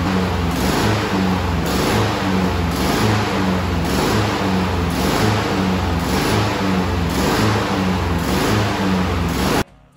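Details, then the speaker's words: New 2020 Honda HRN216 mower, GCV170 engine, surging up and down about once a second at rough idle; clogged carburetor pilot jet. "Is it having problems idling and running or surging like this?"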